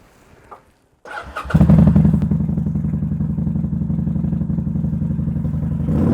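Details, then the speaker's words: Kawasaki VN800 bobber, after likely fixing carb boot vacuum leak: fires up into a lumpy, uneven idle with beats dropping out irregularly, one cylinder still missing at low revs, fine above 4,000-5,000 rpm; cause unconfirmed. "So it is still missing, but I think we have sorted out that vacuum leak."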